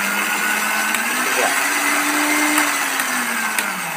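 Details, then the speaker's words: Philips mixer after repairing its motor, which previously would not spin at all: smooth, steady motor whine that rises slightly and settles, no grinding or clatter. The mixer runs normally again. "Oke, ada teman-teman mixer Philips ini, mixer dari merek Philips ini sudah berfungsi kembali. Yang awalnya ini tidak jalan sama sekali, dinamonya tidak dapat berputar. Sekarang sudah nyala dan sudah bisa digunakan teman-teman."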